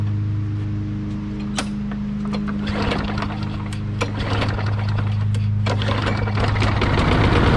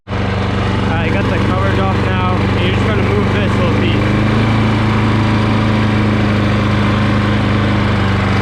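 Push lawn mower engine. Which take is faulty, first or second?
first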